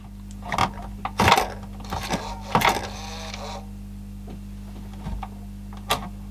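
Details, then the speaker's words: Panasonic RX-DS520 boombox (around 1996) with a suspected faulty CD player, disc inserted: irregular whirring and clicking bursts over a steady hum, louder than expected, as the drive hunts without reading the disc; cause not confirmed. "so it makes a bit more noise than you would expect"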